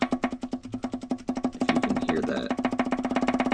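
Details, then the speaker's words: Subaru EJ25 pulled and disassembled with a rod knock: quick sharp metal clacks, about nine a second, as a connecting rod with excessive bearing play is rocked by hand; very dark oil with metal flakes. "not supposed to have that much play so that's where the knocking is coming from"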